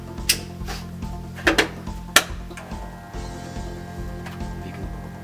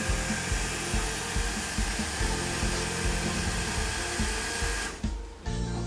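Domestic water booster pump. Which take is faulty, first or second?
first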